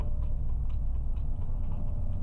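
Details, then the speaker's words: DLTB bus diesel engine on restart during troubleshooting: raised steady high idle with rapid light ticking and loud engine noise; throttle pedal gives no response, sensor fault suspected, mechanic fetching another sensor. "Ayun, umistart siya. Mataas pa rin talaga yung minor niya mga kasaudrod. Kung maririnig ninyo ang ingay ng makina, oh."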